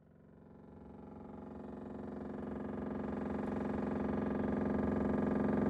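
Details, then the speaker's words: Refrigerator making fast, even clattering, about four knocks a second over a steady hum: door not sealing let air in, frost built up at the lower air vent and the fan blades strike the ice. "大家可以听到声音非常的大这个声音主要是由于门没有关紧导致空气进入空气进入然后在排气口和排气的内部结霜之后和排气扇当产生摩擦造成的声音"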